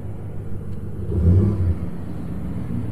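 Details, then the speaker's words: Copart truck running after startup: a deep, steady, even rumble with no knocks, ticks or misses. The check engine light is on, but the engine runs smoothly. "huh she sounds good she does have a check engine light but it sounds good"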